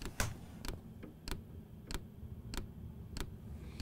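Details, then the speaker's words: Happybuy 5 kW Chinese diesel air heater in cargo trailer tiny home, microphone placed by the fuel pump: sharp, light ticks about every 0.6 seconds over quiet hum, louder at higher temperature settings; normal fuel dosing pump ticking, though annoying. "So there's that ticking noise, and it's fine in the daytime, but I think if you're trying to sleep and you've got heat running, I think it would become very, very annoying."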